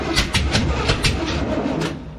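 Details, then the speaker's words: 1967 Camaro V8, first fire-up after installing the distributor, no radiator yet; rapid cranking chug, brief catch then die-out, needs more gas; owner suspects timing a little too advanced; engine cranks and fires briefly. "We got fire, we got fire. Let's put a little bit more gas. I want to hear this thing run a little bit longer than that, don't you?"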